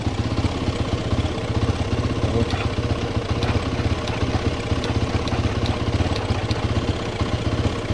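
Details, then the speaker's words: 2013 KTM 450 SX-F motocross bike with a fully flat battery, choke out, in neutral; charging read 14.4 V. Steady fast cranking that never fires; the battery may not be giving the ignition enough power, so it is put on charge. "good prank let's charge it for a little bit maybe not getting enough juice to power the ignition system"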